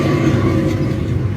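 Steady, deep rolling rumble from a moving car, typical of a worn wheel hub bearing.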